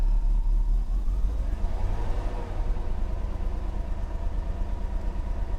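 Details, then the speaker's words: 1990 Mercedes 560SEC after fuel pump and four fuel hose replacement, with throttle blip: uneven lumpy low beat that wavers; running a little rough, spark plugs still due for change, cause unconfirmed. "Yeah, little rough. We still got to change the spark plugs."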